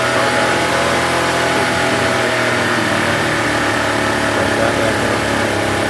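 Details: Honda EB1400X generator (107cc, 3HP, 1400 W) after carburetor cleaning and restoration: steady, even drone at constant speed under music with no surging or misfire; the generator runs smoothly and sounds healthy.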